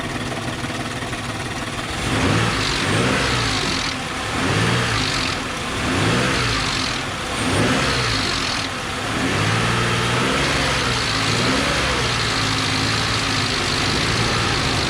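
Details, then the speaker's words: 2006 Ford Explorer, Ford 4.0L SOHC V6, warm with thinned oil, tensioner previously replaced and leaking, blipped gently: harsh metallic rattle rising and falling with revs, the known death rattle; timing chain rattle suspected, not confirmed. "All right, so as you can hear, she's hurting. That's what Ford 4.0 Death Rattle sounds like."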